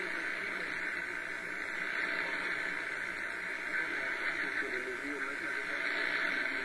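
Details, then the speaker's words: Realistic DX-200 shortwave receiver, 31 ft vertical antenna via coax, 3:30 pm Clearwater Florida: constant loud steady hiss, no station, S-meter pegged by noise; high background noise, source unknown, possibly dry-air static. "I'm trying to receive stations look at that estimate is just peg and that's not because of the signal strength let me turn the volume back up for a second noise"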